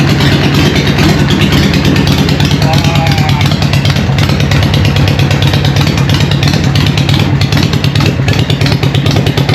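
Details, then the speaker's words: Newly built Harley Evo chopper on first start, choke on, in neutral: loud, lumpy V-twin idle with steady deep pulse around three beats a second; fires cleanly and holds a healthy idle. "How good does that sound? What do you reckon, John? What? Fucking loud. I am wrapped."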